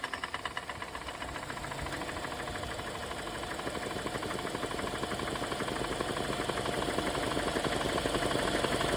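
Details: BMW N20 engine: regular knock about two per second over idle, louder as revs climb; suspected rod knock, not confirmed.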